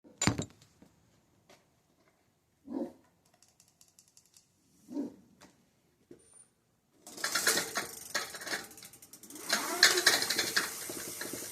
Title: motor on Funhang ebike making grinding noise